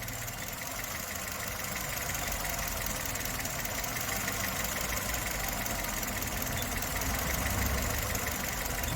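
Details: 2011 Chevrolet Spark with code 82, stalling and shaking at stops and low speed: uneven, lumpy four-cylinder idle with slight speed wander; fuel and intake system faults found.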